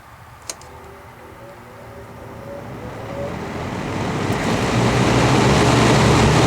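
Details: Vintage all-metal Kmart box fan, flea-market find in rough shape, switched to high: rushing air builds as blades spin up to full speed over a low, even motor hum, no rattles or scraping; runs normally.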